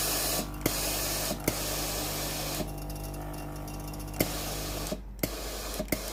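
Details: Philips PSG7014 steam-generator iron after its failed water pump was replaced (the customer's complaint was no steam): a steady strong steam hiss with occasional short pump clicks as the pump feeds the boiler from the tank. Steam output is normal.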